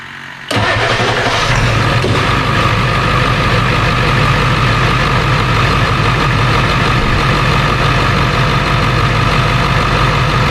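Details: 2001 Ford F-350 7.3 Powerstroke after new serpentine belt and blower motor resistor: starts at once into steady diesel clatter with no chirp or squeal from the belt; accessory drive quiet.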